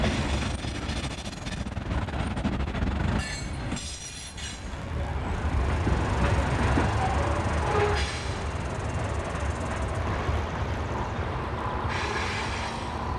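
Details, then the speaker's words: CSX ballast train O037, 51 cars heading north in Richland NY, 2007: passing freight cars rumble and clack with intermittent high squeals from one wheel on the rail; an observer suspects that wheel got too much grease. "I think that one wheel got a little too much of the grease. Yeah. The one that's doing all the squeaking."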